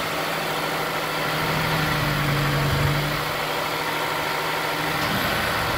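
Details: Honda S2000 at cold start after TCT install: cold idle with a steady mid-pitched hum and an uneven tapping through it; abnormal start-up noise, cause not confirmed.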